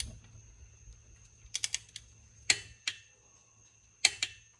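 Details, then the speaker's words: 2004 Scion xB, reinstalling cylinder head on aluminum head, torquing head bolts to 22 foot-pounds in sequence: sharp metallic torque wrench clicks in quick pairs, double-clicked to confirm set torque. "I like to double click it and make sure I got it, got it there."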